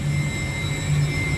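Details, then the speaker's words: York YK water-cooled centrifugal chiller brought back online after building management system crash forced shutdowns: steady low hum with thin constant high whine, ramping to catch a large load; no knocks or surging, running normally. "So we got the chiller online now. It's going to slowly kind of ramp up and try to catch its load. It's got a lot of load to catch up on,"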